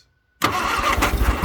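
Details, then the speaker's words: 1962 Vauxhall Victor that sat 25 years, on a rebuilt but weak starter: after a pause it catches, coughing and stumbling unevenly without settling, with smoke; owner suspects carburetor issues or running out of gas. "might be out of gas but it's trying it is definitely trying and the start you might hear the starters really weak"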